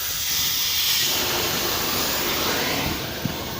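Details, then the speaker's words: KamAZ truck air brake system losing air (pumps with handbrake on, not off): steady loud hiss of compressed air escaping from a burst hose, found elsewhere than the initially suspected spot. "А шипит где-то в другом месте полезем искать [музыка] и всего-то ребята [ __ ] шлангу"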